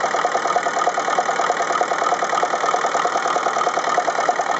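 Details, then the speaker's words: Ferguson TEF-20 diesel tractor, cold start at idle: diesel clatter with an uneven, limping pulse about three beats a second, running on three cylinders; exhaust-stub temperatures confirm the number three cylinder is dead, and its injector nozzle is to be replaced. "okay so that was pretty conclusive proof that this number three cylinder just isn't running the other three are firing fine"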